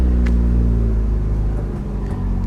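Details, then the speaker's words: Supercharged Chevy Cobalt SS salvage-auction car, no keys, runs and drives: low smooth petrol rumble building evenly with a little throttle, boost gauge rising, no knocks; healthy. "Oh man, guys, it's running and driving. Can you believe this?"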